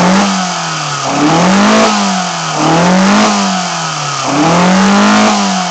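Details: BMW 318i M10 engine on first startup after fitting sidedraft individual throttle bodies: crisp throttle blips about every second and a half, revs climbing and dropping cleanly with no stumble, so it runs normally.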